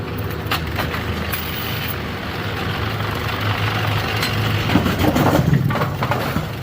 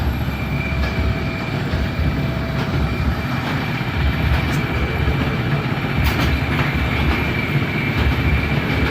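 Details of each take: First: Machine run through cycles while chasing a 17.5 pin turret indexing issue: rough grinding churn with irregular sharp pops, a "poppy grindy" sound. Source near the pin handling is unknown and cause not confirmed; the machine later stopped early. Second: Bowling pinsetter turned on and cycled by tripping the beam while chasing an intermittent cycling fault: loud clattering over a heavy low rumble, steady cycle with no odd bangs or grinding; no failures found, sounds normal.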